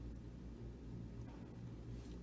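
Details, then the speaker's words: Original 1964 Fender Princeton amp after a re-cap, brought up slowly to about 100. Pilot lamp glows, no smoke or smell, and a quiet steady gentle hum comes from the speaker with no crackle or buzz. Normal mains hum. "if something was developing I would think that it's going to develop I can hear a hum"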